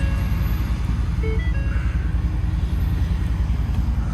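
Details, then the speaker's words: 2023 Ford F250 Super Duty diesel truck, 79,000 miles, at auction: firm, even diesel clatter at steady idle with no misses, knocks or squeals; engine sounds really good, normal healthy idle. "This is a nice truck, man. Probably going to go for a nice price, but it sounds really good."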